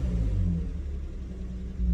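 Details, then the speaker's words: BMW E46 that sat two years with a running issue: deep rumble as the engine tries to rev but sags and won't climb, because the throttle pedal position reads 0% despite pedal movement, matching the codes; a throttle pedal position sensor fault. "Now I appreciate it was moving a little bit, but the throttle position certainly isn't zero, is it? My foot, you can hear my foot was moving. That's as much as it's wanting to do."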